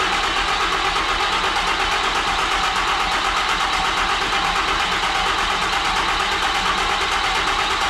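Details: 2012 Ram 3500 6.7 Cummins turbo diesel after cylinder head and head gasket replacement, fuel rail flushed and empty, first start: fast even cranking with balanced compression pulses, no misses or knocks; normal.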